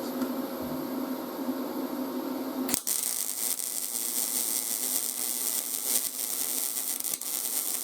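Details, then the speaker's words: YesWelder 250 MIG Pro welding steel at inductance +6, expected to give a more fluid puddle: steady, crackling hiss after the strike, fairly smooth with occasional pops; a normal-sounding weld. "let's do inductance of six this should sound different and it should create a more fluid weld puddle"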